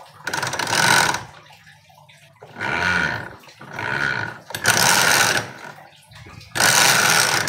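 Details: Honda Beat carbureted scooter, rear wheel spun by revving: harsh, gravelly grinding swelling and fading with throttle over about four blips, from the CVT; a very loose CVT pulley shaft.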